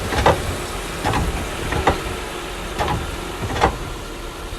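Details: 2005 Honda Accord, front wheel area, car shifted in reverse: dull clunks about once a second as it rocks, over a quiet shop background; a worn lower control arm bushing, seen moving on both sides.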